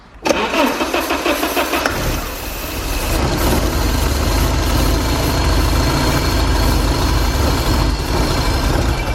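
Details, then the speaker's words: Porsche 944 sitting 10 years, starting fluid sprayed into air-flow meter while cranking: brief crank, then catches and runs raggedly; spark present, no fuel delivered, runs only on starting fluid. "alive pretty awesome we have spark yeah there we know we just don't have fuel"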